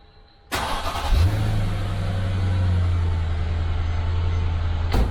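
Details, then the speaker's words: 2011 Mercedes E550 W212 V8 at 60k miles, after a starter replacement for slow, stumbling cranks and a new auxiliary battery: a brief crank, then it fires at once and settles to a smooth, steady idle. A normal quick start. "that sounds like success"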